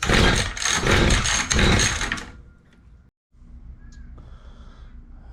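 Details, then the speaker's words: Mantis two-stroke rototiller after carb cleaning, primed, not choked: fires in a few ragged bursts for about two seconds, then dies; very wet spark plug shows flooding, with the carb mixture screws needing cleaning and adjustment. "very very wet spark plug so we know it's getting [Music] fuel"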